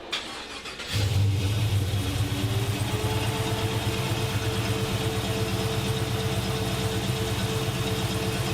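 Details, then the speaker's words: LS3-swapped 1963 Chevy Nova wagon, about 10k miles since the swap: it catches and settles into a lumpy idle with a steady stumble. Cylinder seven is dead and cold, a misfire from a poorly seated coil harness connector pin. "Oh the last cylinder on this side is ice cold the rest have heat in them but the back one is ice cold so we definitely have an issue over here"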